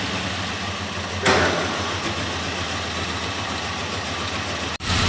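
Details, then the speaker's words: 2003 Mazda B2300 petrol engine misfiring at idle with an uneven stumble and irregular chuff. Unplugging cylinder 1's plug wire makes it run better, while unplugging cylinder 2's nearly kills it. "You can tell by the sound of it that it's misfiring pretty good."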